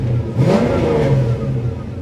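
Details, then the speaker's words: 1968 Chevy LS-swapped 5.3 with turbo 400 and 600-lift cam, speed-density tune being adjusted, running slightly lean at idle: quick blip from idle climbs cleanly and drops straight back without stumble; crisp, snappy throttle response. "it's nice and snappy"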